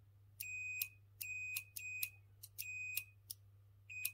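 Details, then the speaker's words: Second relay removed from a Chaffoteaux & Maury Nexia boiler control board, on a tester in beep mode: the relay clicks repeatedly but beeps only in broken bursts, an intermittent contact suspected of causing the boiler faults. "Je l'ai branché sur le testeur en mode bip. Il a des ratés. On entend qu'il claque, mais ça bip pas."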